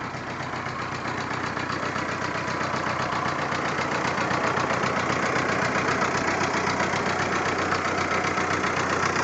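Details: VW Jetta recorded on a phone: uneven, lumpy idle with a pulsing beat about four per second that never settles; engine running rough at idle.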